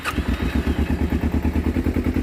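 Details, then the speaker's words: Finished 2012 Kawasaki Ninja 250R: fires straight away with no choke and settles into a quick, even idle with no misses while warming up; idle could be turned up slightly, running perfectly. "no choke necessary let her warm up real quick I can probably turn the idle up a little bit but she's ready to rip"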